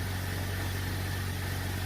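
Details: 2001 Jeep Cherokee TJ 4.0 inline-six, about 205,000 miles, cold start at 39°F, idling smooth and even with no ticking or knocking after a fix for a long-standing chatter and knock.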